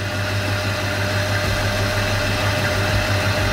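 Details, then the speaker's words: 1986 Chevy C10 V8 just after its first start on a new Edelbrock AVS2 carb and intake, after sitting 7 years: even, steady idle burble with no stumble or miss, idling much smoother than before; normal idle, timing not yet set. "already sounds different. Yep. It already sounds like it's idling so much smoother than it did before."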